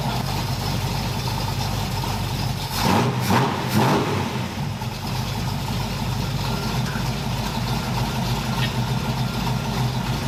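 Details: 1981 Cutlass Supreme small-block Chevy V8, run outside after valve hot-lash, correct spark plugs and timing/HEI fix: a quick throttle blip, then it settles back to an even, steady run. Normal running; owner thinks it may need more accelerator pump or warming up.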